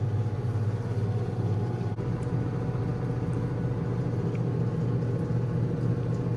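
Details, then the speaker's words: Black & Decker 3.0 portable washing machine, two years old, heavy setting: steady low hum with smooth, even spin and no thumping or rattle as the spin cycle spins out water and soap normally. "And this is the spin cycle, and you see it's still spinning out water, soap, all of that."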